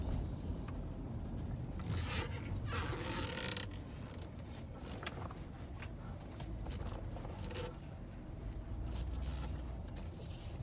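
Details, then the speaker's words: 2012 Dodge Grand Caravan after failed Monroe front struts were replaced with Moog strut assemblies, pulling into a driveway: slow low rumble of tires over uneven ground with no knock or clunk from the front end; suspension sounds sound. "But right now I'm pulling back into that same driveway so you can hear for yourself that that knock, that clunk is in fact gone."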